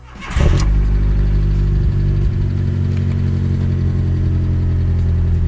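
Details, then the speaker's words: Fiat Seicento small petrol engine after spark plug thread chased and damaged washer removed: quick start into a steady, even hum on all four cylinders; the earlier ticking has stopped. "Well, that sounds like four. [Music] Oh, yeah. What's that? What is that? It stopped ticking."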